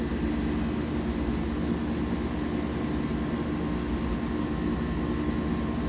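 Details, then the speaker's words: Denton DV502B vacuum evaporator, auto vent pushed after lowering the bell jar: steady rushing hiss with low pump hum and faint fixed tones; the chamber is venting to air normally. "so I have the auto vent pushed everything's satisfied and you can hear that it's venting and going up"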